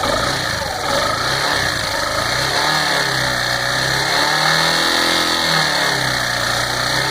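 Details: Yamaha Fazer 150 motorcycle engine revving up and down with an uneven knocking under the exhaust; head work at the dealer did not fix it, mechanic suspects the bottom end; cause unconfirmed.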